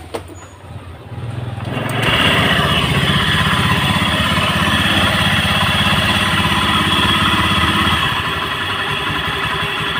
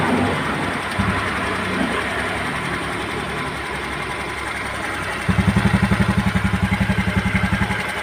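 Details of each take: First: Honda Beat scooter idling: harsh, rattly, dry-bearing roar that persists with the CVT removed, so it comes from a worn bearing inside the engine. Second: Honda Beat scooter that had a noisy, dry-bearing-like sound, started after replacing the bearings (6205 and 6007): a light, regular putter at an even pace with no grinding or rumble; smooth, healthy idle.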